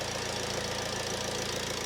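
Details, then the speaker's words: 2007 Ford Transit Connect 1.8 TDCi diesel, about 144,000 miles, after a fuel filter change. A light rev: even diesel clatter held at a steady raised speed with no misfire or hunting. Fuel delivery sounds clean. "I'll give it a little rev."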